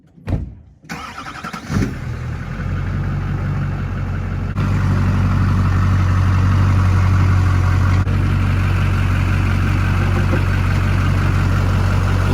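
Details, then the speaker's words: Old diesel-swapped truck cold-started in freezing Michigan winter: slow, heavy cranking with stumbling bursts before a steady low drone; the cold diesel struggles to fire cleanly; hard starting. "guys i know it's not that impressive because it's not starting but you gotta remember man up here in michigan it is freezing so it's hard to start these diesels in the winter"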